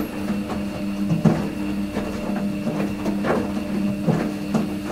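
Steady motor hum with soft rhythmic thumps about once a second as the drum turns; washer running normally.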